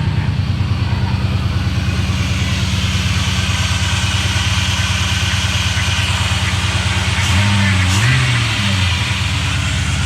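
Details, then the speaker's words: LS1 V8 Nissan Patrol, first start after a wiring repair: a steady, even idle with a faint wavering whine from the power steering pump after fresh fluid was added; the engine runs normally. "it runs you hear the pump are starting to wind a little bit because i was getting all the fluid in there"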